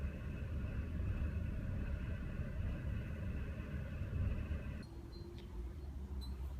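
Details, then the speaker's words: BMW with a cylinder 4 misfire code and a low-airflow throttle actuator code from carbon buildup, idle tested in neutral and park: a low, lumpy idle that wavers and stumbles instead of holding steady. "I scanned my vehicle I got codes M fires on cylinder 4 um I got on the auto throttle um code for for it being uh like low air passing through"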